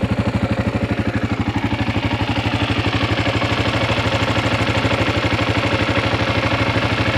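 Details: 2016 KLR650 with about 5000 miles, idling: even single-cylinder thump about three times a second with a buzzy vibration noise over it; source not pinned down.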